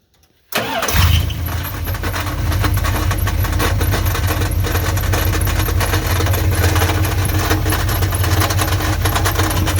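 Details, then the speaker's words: 1984 Dodge Ram Prospector 3/4-ton, 360ci V8, automatic, newly reconditioned starter: cranks and catches, then idles with a loose, uneven rattle over a heavy rumble; broken connecting rod first suspected, underneath it sounds like the starter needs shimming. "it does sound like a rattling i mean that's what it sounds like to me until i lay down on the ground and listen to it and then it sounds like the starter might need to be shimmed out a little bit"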